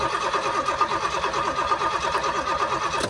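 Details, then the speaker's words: Barn-find Pontiac GTO, sitting for decades, with timing found far off and a new HEI distributor fitted; on the second carburetor it cranks steadily with even compression pulses but never catches because the carb lets no gas in. "There's no gas coming in. It ain't got no."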